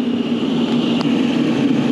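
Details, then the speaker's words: Restaurant rooftop exhaust hood fan on a cold day, building pulled into negative pressure: loud steady rush of air over constant low drone; fan running at high airflow, reason for such heavy draw unclear. "she's hauling the mail that one's not June Jack that one's hauling the mail"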